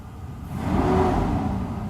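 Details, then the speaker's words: Mercedes S600 W140 after a throttle body overhaul, at operating temperature and idling smoothly at the correct rpm; a barely-pressed pedal tap revs it to almost 2,000 rpm instantly and it falls back cleanly; normal throttle response. "as you can see it's running like very nice and smooth at exactly rpm so we need to be at in this temperature acceleration brisk just like instant that was just just tapping on the paddle"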